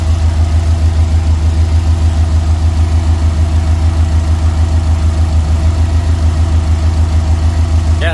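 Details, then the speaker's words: Tuned turbo Subaru idling after ECU relearn, no knock, vacuum fine, reseated Torque Solutions turbo inlet: even, steady idle pulsing about 200 times a minute, no stumbles, knocks, hiss or vibrations; sounds better than after the tune. Normal idle. "just sounds so good right now like i feel like it sounded better than when i first got it back from the tune"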